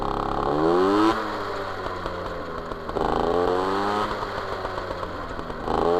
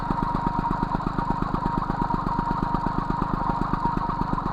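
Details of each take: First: MBK 51 Magnum, stock engine, Dellorto PHBG 15 BD carb, Malossi 19 intake, Arrow Performer exhaust, previous jetting with W9 needle: revs rise and fall with sputtering, popping and lazy pickup; too rich at low revs and generally. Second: MBK 51 Magnum moped, stock two-stroke engine, Dellorto PHBG 15 carburettor on main jet 65, mixture screw being adjusted, Arrow Performer exhaust: quick even putter with steady beat, no hunting or stumbling; idling cleanly.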